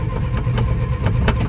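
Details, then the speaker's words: 1963 Chevy 2-ton dump truck, 292 inline-six with 4-speed, sat 15 years; points cleaned, timing set, carb bowl primed. It runs rough, stumbling, then dies as the bowl empties. It isn't drawing the old fuel from the tank. "Nope, she's empty. Dang it. We're gonna fill the bowl up again this is older than that, and it's not picking it up."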